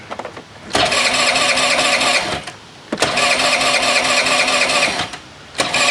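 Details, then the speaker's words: 2001 Honda CH80 scooter during a tune-up, started with starter fluid on a nearly new battery: it revs high for a couple of seconds, then sags almost to stalling, repeatedly. Small vacuum leak somewhere. "We got a small vacuum leak somewhere."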